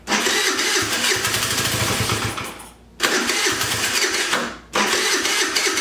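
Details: Jin Lun 50cc two-stroke scooter jumped from a car battery, with the carburetor cleaned and the throttle cable broken. Three buzzy bursts separated by near silence; it catches briefly and draws fuel but won't keep running.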